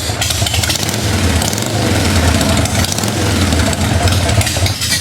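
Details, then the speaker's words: 1990 Harley-Davidson 883 EVO Sportster idling after reinstalling the Harley intake manifold and Keihin CV carburetor and fitting an Ultima single-fire ignition. Even, loping V-twin beat; the earlier suction whistle from the intake is gone. Normal, healthy idle. "sounds like it's working just fine sounds good to you yeah this is excited because she knows it's her bike [Music] oh man that is a healthy sound listen to that"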